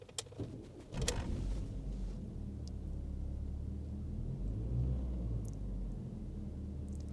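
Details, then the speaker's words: 1990s Ford Mondeo Mk1, fairly low mileage, engine heard from inside the cabin: after some handling noise, a low, smooth, even, very quiet hum with no knocks or ticks; normal healthy idle. "Have a little listen to it. Oh, by the way, it's really quiet."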